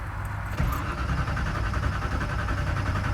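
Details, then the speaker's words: Car cranks evenly but never fires; not carburetor, no ignition power (LED doesn't light), red wire to black wire with no fuses. "that is like no ignition yeah it's not even trying to fire that's not a carburetor thing that's something else"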